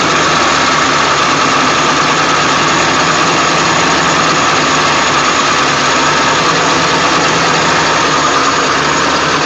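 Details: 1999 Ford F350 7.3L diesel cold start after sitting for days, plugged in overnight: dense, clattery, uneven idle and the truck shakes badly, with no check engine light. Restarting it gives no shaking; cause unknown.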